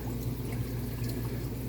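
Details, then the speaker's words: Catalina spa hot tub just wired up and filled with city water, water around 48–49 degrees while heating: low steady pump hum with water swirling, no knocks or grinding, circulating and filtering normally. "you hear that little hum in there yeah that's a real good thing happening here see we've got water circulating and filtering and cleaning up"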